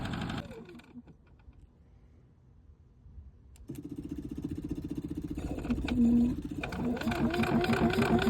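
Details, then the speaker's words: RVMP 4000 unit with overload and rough idle: after a pull start it runs with a lumpy, surging beat near four pulses a second and never settles into a smooth hum; internal failure is suspected. "Dude, it sounds like they've got internal failure or something. I don't know what's going on."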